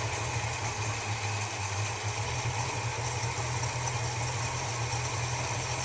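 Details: Holden HK after a spark plug change, at idle: loping, irregular beat about two a second. It is running rough; the owner suspects ignition timing, and the coil is buzzing less than normal.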